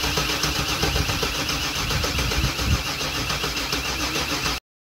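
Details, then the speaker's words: One of two non-running 1996 Chevrolet Camaro Z28s: the starter cranks steadily and evenly with no catch or firing. The owner reads this as no ignition; the cause is unknown and needs troubleshooting. "Okay, so that's telling me we have no ignition. And I will need to look into that. I don't know why that would be."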